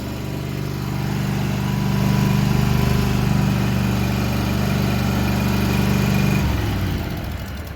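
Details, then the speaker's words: Walker mower brought in for backfiring through the carburetor: holds an even, too-fast idle that never settles, then drops near the end; high idle from throttle linkage rusted and stuck open. "saddling really high so we don't want that why is that going so high"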